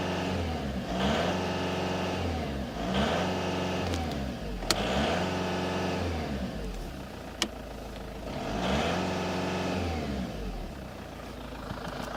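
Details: Opel Astra G diesel revving hard at full throttle in repeated surges with a rough, uneven pulse under the roar; fault at full throttle, cause unclear, with gas pedal to the floor.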